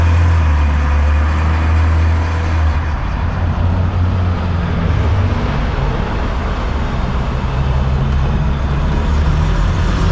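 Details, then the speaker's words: 1981 BMW E12 on test drive after recalibrating the AFM, cleaning injectors, replacing fuel lines, fixing loose grounds and setting timing: deep steady engine drone under acceleration with road rumble, pulling evenly, no misses; now runs well. "that was it guys the AFM was calibrated wrong I guess it runs super sick now it actually accelerates"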